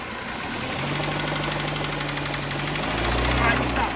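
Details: Dodge Neon that sat for years, now running again: loose, irregular knocking over steady petrol engine drone while driving, scary above 30 mph; rod knock suspected, not confirmed.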